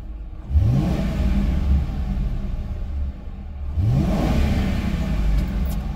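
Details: 2010 Ford Crown Victoria Police Interceptor, just started, reportedly overheats after 20 minutes: two clean blips, revs climb smoothly and return to even idle, no knocks or rattles; healthy V8.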